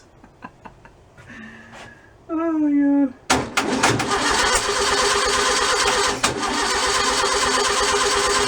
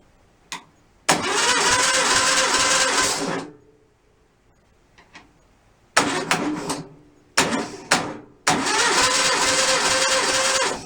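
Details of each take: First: Freshly rebuilt stock 1600cc VW engine, first start, accelerator pump leaking: clicks, whirring crank, then catches and runs unevenly with choppy irregular pulses. Rough running after start; builder suspects ignition timing is off. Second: Freshly rebuilt stock 1600cc VW engine, compression test: steady, even cranking bursts about three beats a second; cylinder two reads 150. Normal compression test cranking.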